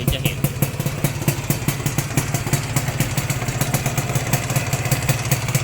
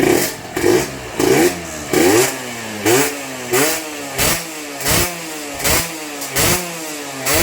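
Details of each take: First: 1992-registered (BE 2535) Yamaha VR two-stroke motorcycle, quiet at idle. When revved, a rapid popping with a rattly top-end edge appears. The seller is unsure whether it is the piston rings or the connecting-rod bearing, and it is being sold as is, unrepaired. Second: Yamaha TZR with VR front, two-stroke, on the stock exhaust. About a dozen crisp rev blips climb and drop cleanly with the throttle, with no knocking or whine. The engine is described as fresh, strong and quiet, which is healthy free revving.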